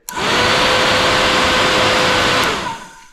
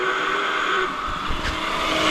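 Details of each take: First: Honda 400EX quad with newly installed 4-inch SPAL radiator fan: spins up to a smooth steady rushing whoosh, winds down cleanly with no rattle or rub; moves really good air and sounds much better. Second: Honda 400EX quad radiator cooling fan switched on before replacement: steady slightly rough whirr with faint raspy edge, weak airflow; owner suspects the fan is clogged and worn out, due for replacement.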